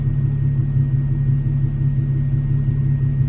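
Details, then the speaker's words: 2015 Infiniti Q50 3.7 at idle after replacing failing fuel pump with aftermarket Walbro 255 high-pressure pump (for E85/tuning); faint constant high whine or hiss under steady idle rumble, present every start. Fuel pump whine. "so every time i start a car if you just i idle there's a slight whine um or a hiss coming from the fuel pump"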